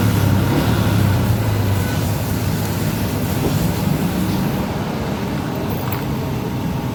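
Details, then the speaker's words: Yamaha Jupiter MX New with new battery, after the problem was traced to a hot fuse housing instead of coil and solenoid: steady low engine drone with no stumbling or cutting out under some hiss; running normally. "Sorry, I'm not trying to denigrate, but everything was wrong because now it can still be started."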